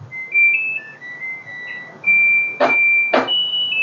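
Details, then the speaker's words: LG Direct Drive Inverter washer, inlet solenoid replaced: clear high end-of-cycle chime then two clicks as door unlocks; cycle finishes normally. "ล็อคประตูครับก็จบในการซักโหมดนี้นะครับ"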